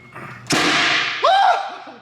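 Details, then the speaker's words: R33 Skyline with RB25 engine swap, first start-up on a base map: one sharp, deafening bang on turning the key without cranking, then not running; backfire, owner suspects too much fuel, ignition timing or cam angle sensor. "that's too much fuel no ignition timing is just not i just i didn't even i didn't crank it that was the loudest thing i've ever heard in my life why did it just do that"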